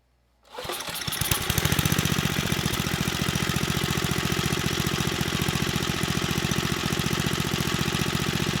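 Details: Tecumseh HSSK50 engine from a stripped Troy-Bilt snowblower, which had missing head bolts and no compression, after a new head gasket and bolts: crisp, even firing right after startup with no misses or knocks. It runs very well.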